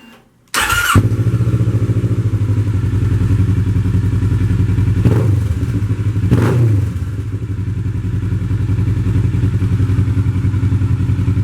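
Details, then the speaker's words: 2007 Kawasaki Ninja 650 after a swap to a used replacement engine with about 19,000 km, replacing the old 49,000 km engine. The twin fires and settles into a steady, even, smooth idle with no knocks or misses; normal idle. "frigging bike runs a lot better than when I first bought it it is so smooth I can't believe how well this engine runs"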